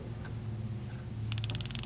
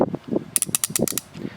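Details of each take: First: New Icon ratchet from Harbor Freight: two quick bursts of fine, even, rapid clicking as the handle swings, crisp and consistent throughout; a healthy fine-tooth ratchet with no issues. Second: Ratchet worked by hand: quick irregular clicks with sharp clunks; pawl feels skippy like a different gear set, judged inferior to other ratchets.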